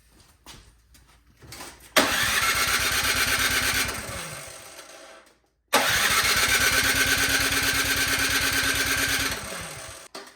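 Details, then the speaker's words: 24-inch Craftsman snowblower with gas and oil, suspected old gas left in carburetor bottom, after draining dirty fuel: two cranking bursts of even chugging, never catches; cranks but won't start, carburetor clogged, needing removal. "So I'm thinking that new gas was put into the unit, and there was a little bit of old gas sitting in the bottom of the carburetor, and as you can see, it just made a mess."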